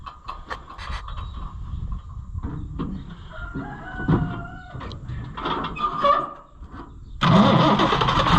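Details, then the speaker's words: Oliver tractor after converting the Marelli charging system to a Delco 10SI alternator, restarted: rooster crows over knocks, then the engine catches into a loud steady even rumble; running normally. "I think it's good it's good yeah it's running good too so the way you were making faces I thought something was wrong"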